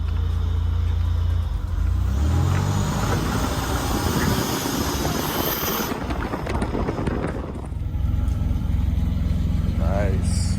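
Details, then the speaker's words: 1984 Buick Grand National turbo after installing 42 lb injectors, Turbo Tweak chip and 1987 ECM to fix starting hesitation; on a drive the engine note climbs smoothly under throttle, then road and wind noise; strong even pull, no stumble. "let's go for its quick run oh man this thing sounds so good"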